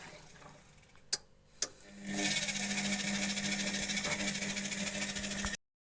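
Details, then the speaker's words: Washing machine drum motor after replacing worn brushes (drum had stopped turning), test run on cold water: clicks, then motor spins up to a steady even hum, no grinding or knocking, belt stays centred on pulley; normal running. "барабан крутиться пішла робота тут як бачимо все працює ремінь залишається по центру шківа"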